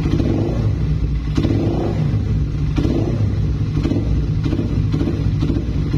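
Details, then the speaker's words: Suzuki Satria FU with a previously noisy cam chain, after tensioner adjustment, small throttle blips: steady low rumble with no tick-tick rattle on top; cam chain now quiet, engine normal. "jadi di bagian rantai keteng itu ya ada pantulan dari kendor kenceng gak gitu ya kayak truk-truk itu kan biasanya ada aja ya di bagian Jasmine gas-gas kecil gitu dan ternyata gak ada ya berarti ini setelan Udah cukuplah segini ya"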